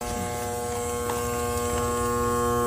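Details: Home AC outdoor condenser fan motor gives a steady electrical hum but does not spin, with no blade whoosh. The AC blows warm air while the compressor runs. The cause was a faulty capacitor, which was replaced.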